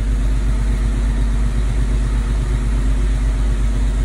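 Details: 1987 Toyota FJ60 Land Cruiser after carburetor replaced by Holley Sniper fuel injection: steady, even low rumble pulsing about three times a second, no knocks or misses; a healthy idle.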